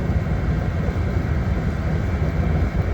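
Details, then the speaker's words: Master radiant heater, labelled kerosene-only, running on diesel on first try after sitting dry: even, low steady roar with no surging or sputtering; normal running. "first try I mean it was dry as a bone too that's what I'm talking about"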